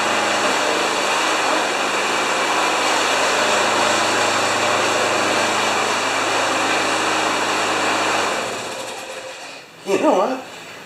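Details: John Deere JS30 mower with a Briggs & Stratton Quantum engine, poorly maintained, used to run five seconds then quit (carburetor probably plugged). After the repair it gives a steady, even small-engine drone for eight seconds, then cuts out: normal running.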